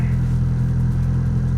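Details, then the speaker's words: 2000 Honda Civic EX, D16Y8 VTEC turbo with a chipped ECU, just started after replacing a cheap MAP sensor with a Sparkks Racing 3-bar: a smooth, steady low idle with no misses or surging while warming up. Running normally. "Now it actually seems to be somewhat running right. Let it warm up and see what it'll do."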